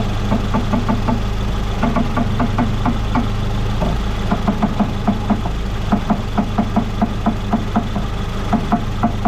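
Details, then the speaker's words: 2014 Ford Fusion electric power steering rack at idle on full left lock: sharp regular popping ticks about three per second over the engine; a broken bolt let the motor separate from the rack gear, allowing water intrusion and corrosion, after new struts failed to cure it. "Now I'm going to lower the vehicle down, and we'll see if we can hear that popping noise from that motor to gear."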